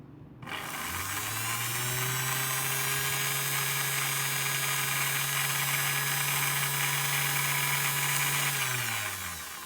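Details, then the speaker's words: Girmi mini robot food processor motor, over 40 years old, bench-tested on 110 V before disassembly: smooth whine rising quickly to a steady pitch, holding evenly several seconds, then winding down; motor spins right but needs grease and lubrication. "so the motor it is spinning right it is spinning right and I believe we have working motor but it needs some grease grease and some lubrication"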